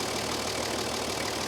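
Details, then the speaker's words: Toyota HJ45 diesel, revived after sitting seven years in a paddock: even clatter at a steady idle, with no exhaust roar or misses, now that the extractors are bolted up. Idling healthily; the fan belt is slightly wobbly. "listen to that unbelievable bolting those extractors up has really eliminated that noise it was obnoxiously loud earlier when those extractors weren't bolted on"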